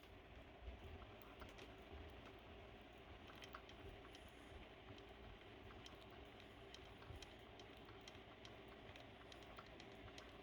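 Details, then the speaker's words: Motorized bicycle chain supplied with the engine turned slowly by hand; about six stiff bad links catch on the pinion gear, giving uneven light clicking and ticking and making the chain wobble badly. Sprocket alignment and pinion checked okay. "they're not good touching the pinion gear and makes the sounds and make this uh chain wobbling so crazy"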